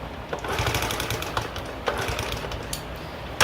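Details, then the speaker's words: 1972 Honda Z50A K3 mini trail, first start after total restoration, started on third kick with eyeballed timing: small single-cylinder idle with uneven rattling clatter and sharp knocks caused by an incorrectly installed clutch, later fixed. "but hey sounds like it has a weird noise to it must just be the audio well to the astute viewer a little bit of foreshadowing that noise was present"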